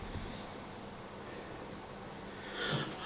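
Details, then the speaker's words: VW Golf GTI petrol engine idling with a steady hum under a constant airy hiss; a vacuum pipe cracked down both sides causes the leak, and the engine ran lumpy when the pipe was pulled down. "It's got a massive crack down it, both sides as well. That was 100% what I could hear then. Because did you notice when I pulled the pipe down, it started to run really lumpy."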